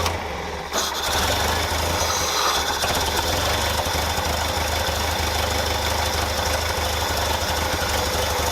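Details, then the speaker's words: 1964 International Scout 80 with old 246 muffler exhaust, after grounding fix and electric fuel pump swap: settles into steady, even idle with raspy exhaust note, no misfires or stumbling. Normal idle. "I actually really like that. I really like that. It sounds good."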